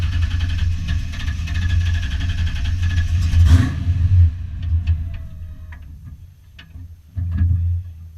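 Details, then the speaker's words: Foxbody Mustang V8 notchback on Holley Terminator X EFI and custom wiring, idle screw and fuel tables adjusted, warming up: deep, slightly lumpy low idle rumble that settles quieter after a few seconds; holds idle normally. "So yeah, stay tuned. Glad I got this thing running. So running on Holley and all my wiring."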